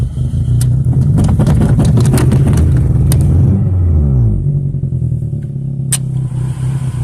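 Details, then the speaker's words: 2002 Toyota Corolla LE, four-speed automatic, bad motor, 112,000 on the odometer, check engine and battery lights on: heavy uneven low rumble with lumpy pulses as revs rise and fall; rough running engine. "four-speed automatic at the overdrive yeah sounds like a bag of crap"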